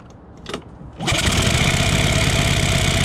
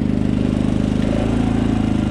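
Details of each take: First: Predator 3500 generator running after valve lash adjustment: starts and runs about seven seconds with an uneven, stumbling beat and a surge partway through; rough running attributed to a leaking exhaust valve. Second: Predator 3500 generator running under a heater load at about 4,500–5,000 ft elevation, after a valve adjustment, straightened pushrods and a carburetor jet swap to a smaller size: steady, even putter with no misses or hunting.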